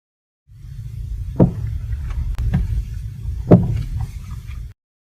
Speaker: This noise comes directly from inside the joint of a stabilizer link.